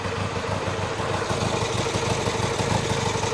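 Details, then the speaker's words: Twin at warm idle after kick start, both cylinders warm: steady, even beat with no knocks or misses; sounds pretty good, healthy. "Yep, they're both warm. Sounds pretty good."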